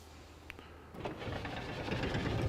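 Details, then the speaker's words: 1972 Ford Mustang Mach 1 power window, clamp meter on the motor: brief quiet, then an even, steady motor whir with no catching or straining. The window moves freely when out of its tracks; motor works normally. "en fait, quand le les fenêtres ne sont pas dans les pistes ici, en fait, elles descendent plutôt bien"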